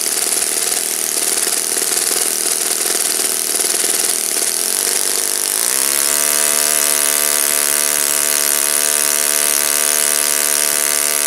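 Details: Saito FA-56 four-stroke glow engine, moderate-time, first run after teardown, cleaning and bearing replacement, 12x6 prop, OS F plug, Omega 5% fuel, tuning run: loud rapid buzz settles into a clean steady note after about six seconds, no misses or rattles; normal running.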